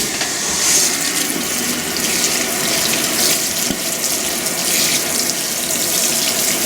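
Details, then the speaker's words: Restored Fisher & Paykel 7.5 kg washer filling with warm water at high water level after seal repair: steady uninterrupted hiss, no hammering, normal fill, seal work successful. "i tested it today and it is taking water so my seal work did work"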